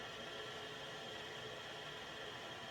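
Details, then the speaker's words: Combi boiler central heating after bleeding radiators: steady hiss of water running in through the filling loop valve as the pressure gauge climbs from just under 1 toward 1.25 bar, replacing air bled out. "You can hear the water running into the system. And as that gauge starts to go up, I'll open it up a bit more."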